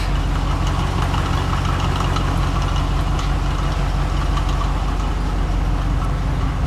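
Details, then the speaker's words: Grain truck V8, idling; steady even burble with no misses or pops; previously stumbled on throttle before warm and dieseled, now neither happens; normal idle. "See, before even warm, if you just went like that, it'd fall right on its ass for a minute and then start to catch up. Doesn't diesel anymore either."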